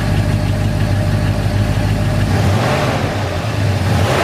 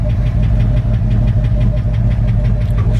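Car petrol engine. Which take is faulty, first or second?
second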